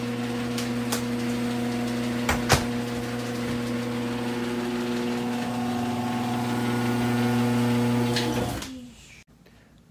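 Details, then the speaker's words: Screw-drive garage door opener after lubricating rollers, brackets and screw with white lithium grease: smooth, low, steady motor hum, no rattle or squeal until it stops; was a loud racket before, now almost silent. "tell you what a major difference that made that made the garage door almost silent super super quiet it was a loud racket before"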